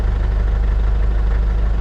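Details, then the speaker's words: 6x6 Land Rover Perentie ambulance with Isuzu diesel, idling right after a new marine start battery replaced the dying one. It cranked quicker than before, and the alternator holds 14.5 V. Steady, even low diesel rumble with no knocks or misses: normal idle. "see how quickly it starts that's a whole lot better starting than it used to be"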